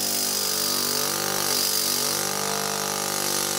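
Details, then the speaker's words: Thomas-type 12 V vacuum pump for electric car power brakes, bench run, no discharge muffler yet: steady even whir with bright hum, a bit noisy, quieter under vacuum; healthy. "anyway let's turn this on see how it runs a little bit noisy I think I'm gonna add a muffler on the discharge but a bit of noise from that it's a bit quieter when you put it under vacuum"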